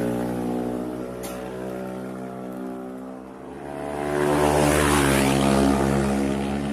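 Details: Honda Scoopy eSP bored up to 130cc, engine internals modified, throttle body fitted, after build: smooth steady idle, clean rise in pitch as throttle opens, no knocks or rattles; normal running.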